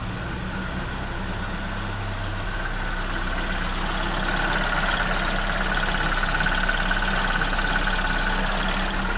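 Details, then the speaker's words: Fire-damaged 1969 Ford Escort MK1 van, crossflow petrol engine, after plugging an oil leak: even, steady low idle with smooth regular beat, no misses, knocks or hunting, no smoke. Normal idle. "So, will it start? Yeah, it will."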